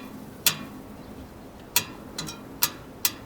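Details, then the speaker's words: 1970 vintage Schwinn Racer front wheel, fairly true: five sharp spoke pings in about three seconds, one duller and rattly; loose spoke, spokes need tightening rather than serious truing. "that spoke is really loose so there's not going to be any real serious truing we're just going to have to tighten up some of these loose spokes"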